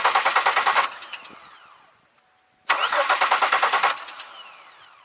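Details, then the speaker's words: 2002 Chevy Malibu, two bursts of steady starter cranking about three turns a second with no catch; cranks but won't fire, fuel leak and lack of fuel pressure suspected, spark being checked. "Alright, I'm back to my original problem here. cranks but won't fire."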